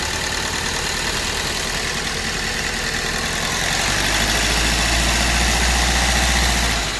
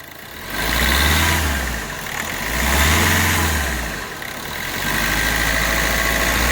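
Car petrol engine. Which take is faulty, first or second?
first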